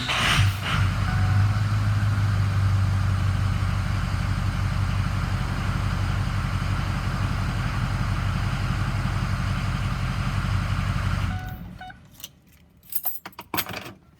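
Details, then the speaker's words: Ford Excursion 6.0 diesel with a newly fitted 6.7 starter (DB Electrical SFD0106). Strong, even cranking holds for about eleven seconds with no dragging, spinning the engine "like a top," far better than this morning. "So as you can tell, it spun that thing like a top. So I'm really happy with the way that turned out."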